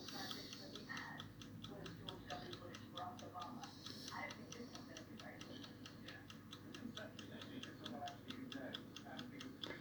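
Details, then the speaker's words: Sangamo spring-reserve time clock made in 1977, fully restored, cleaned and overhauled; crisp, perfectly even ticking at about three to four beats a second with no skips or rubbing, a healthy movement. "fully restored fully cleaned you may better hear it ticking the spring reserve"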